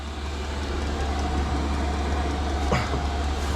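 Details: Cheap Chinese diesel heater (under £80) in a Ford Transit Mk8 van conversion, first run after priming: steady low drone with faint even ticking, burning smoothly; kicking out heat and some smoke, said normal when new.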